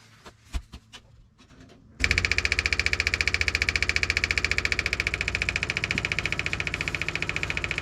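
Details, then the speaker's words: '57 Chevy being refitted with a cleaned, rusty fuel tank: scattered clicks, then the electric fuel pump's sound changes to a rapid, even buzzing pulse as it starts sucking fuel while priming. "ah there we go you heard that change right so now we're sucking fuel"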